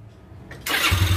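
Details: Xeon carburettor scooter after engine rebuild for noisy rattling and smoking: brief starter crank, then engine catches cleanly and settles into a steady, even low putter; healthy start.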